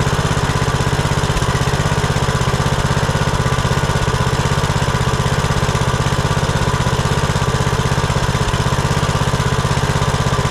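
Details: Troy-Bilt Bronco mower with a Kohler Courage 19, just after installing a replacement carburetor run with no adjustment: an even, steady thump at idle with no hunting or dropouts; normal idle.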